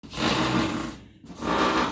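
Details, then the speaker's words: New LG WT7800CW direct-drive washer in the wash cycle makes a harsh grinding rub in two surges, one per stroke, worse with water plus or overfilling; a technician found a loose motor stator and broken rear suspension. "but as you can tell it's making that big noise and it only seems to happen when I use the water plus or if it fills too much"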